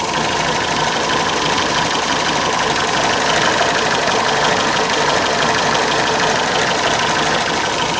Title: MG Misfire